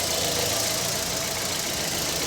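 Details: Fiat Fire engine after replacing the noisy timing belt tensioner bearing, warm at 95°C with injection light off: smooth, even idle with a steady hiss on top and no bearing growl or squeal; normal idle.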